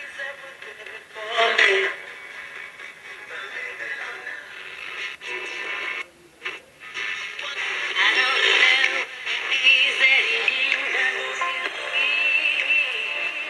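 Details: Mid-1960s General Electric transistor radio after restoration, including a resoldered antenna lug: music and voice play clean through the small speaker with no crackle, hum or dropouts. Working normally.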